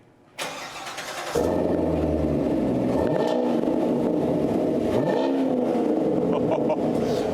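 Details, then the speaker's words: Engine just fitted with new Flowmaster mufflers, fascia refitted: it catches and settles into a deep, even burble, two clean blips rising and falling smoothly; healthy exhaust note with no leaks. "There you go, folks. You can see that really makes a nice sound on this thing."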